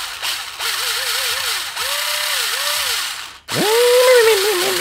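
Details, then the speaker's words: Jing Ming J10 ACR gel blaster with metal gears, in a J9 M4-type gearbox, test-fired after reassembly and shimming: short, smooth motor whirrs with no grinding or clicking, a good mesh that should sound like an RC car. "all right time to test the mesh that sounds [ __ ] beautiful so that is what a good mesh should sound like even on metal gears"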